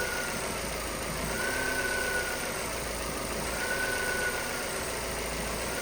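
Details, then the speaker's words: Vauxhall Astra petrol salvage rebuild, first start after non-start, still showing fault codes 24 and 59 and needing coolant: steady, even smooth idle with no knocks or misses; engine doesn't sound too bad. "Right guys, so as you can see, the engine has actually started up. It doesn't sound too bad, which is absolutely brilliant."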